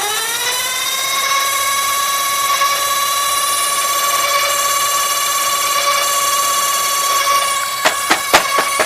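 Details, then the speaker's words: Toshiba M-66 VCR, front panel off, eject and door mechanism broken: loud high whine climbs then holds through rewind, sharp clicks at the end; transport gear out of sync causing loud rewind noise, quieter after. "that's why was not make all that noise it's going to have a hard time rewinding unless if I can first stop and then we want again still gonna be loud now doing a lot better"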